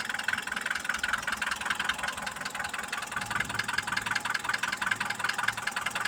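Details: Mitsubishi Pajero iO 4G94 engine being revved: sharp regular knocking about two to three per second rides over the engine; cause unknown, owner seeking advice.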